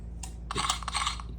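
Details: A faulty Mercedes W211 electronic ignition switch (EIS) on an emulator clicks sharply and irregularly over a low hum, locking and unlocking repeatedly on key insertion, giving intermittent starts; replacement recommended.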